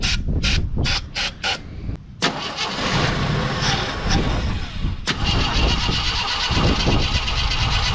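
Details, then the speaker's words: 42-year-old army Jeep, carbureted, not started since 2009, on starter fluid: several slow starter bursts then a ragged catch that dies; owner suspects fuel starvation, carb not getting fuel, possibly empty. "i think it might be empty because the carb is trying to pump fuel it's just not giving it to it"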